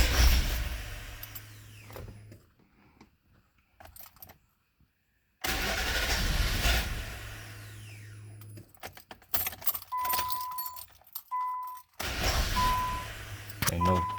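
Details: 2000 Nissan Maxima, 118,000 miles, no check engine codes: fuel pump whir then repeated cranking bursts with long pauses and no clean catch; hard start, owner suspects no fuel reaching engine, security light ruled out.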